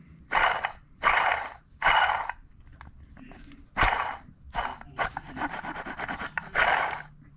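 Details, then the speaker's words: Old water pump from a supercharged GM 3.8L (3800) Buick Regal GS, spun by hand after removal, gives separate gritty rasping bursts. Worn, rough water pump bearing; replaced with a new one. "You hear how bad that sounds?"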